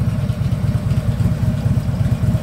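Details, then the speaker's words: 2010 Harley Ultra Limited V-twin after primary shaft bearing replacement: deep lumpy idle with loose rattly chatter on each beat; worn front rubber motor mount. "that little bit you're hearing that is the front motor mount about 60 bucks the labor on that's probably an hour"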